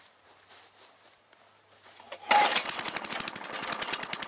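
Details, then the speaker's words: Tecumseh-engine lawnmower left sitting outside all summer, started without choke before repair: after the pull it catches with rapid, uneven popping and a ragged beat. Runs rough; cause not yet identified, called one of the easiest mower fixes. "I'll try firing it up so you see what it's doing and then we'll repair it and see if we can get it to run"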